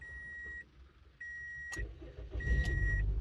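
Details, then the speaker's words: 2002 Toyota Echo that won't start with the key; the security light isn't flashing as it should: a steady dash chime, then the engine catches and runs rough and uneven before stalling. A fuel issue is suspected. Starts then stalls. "oh it actually started but then it stalls out all right so since it does start but then stalls could we be dealing with a fuel issue at this point"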